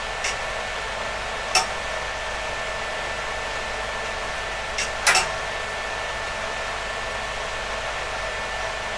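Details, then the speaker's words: PDP-11/34A vintage computer, partly reassembled with covers on, outside its cabinet, fans at reduced speed: a steady, loud fan rush with an even hum and faint clicks; the cooling fans are normal, just very noisy. "you can see now why it's best not to have too many of these fans running they are very noisy"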